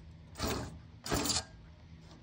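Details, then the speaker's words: 2009 Nissan GT-R after fitting a CSF aluminum radiator and new hoses; three scraping swishes about one per second as the driver-side fan is hand-spun, its hub touching the radiator; cause unsure, fitment or bottom hose suspected. "look closely is touching the actual not the Shroud but the middle of the fan right there is touching on the radiator so when the fan turns on it makes the noise"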